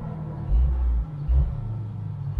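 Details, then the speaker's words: 1997 Jeep Wrangler just after installing a new muffler and tailpipe, started and revved: deep steady rumble swelling with throttle, louder than the old muffler, no rattle or vibration; normal exhaust note. "sounds good but it's a little bit louder when i was actually hoping it might be slightly quieter"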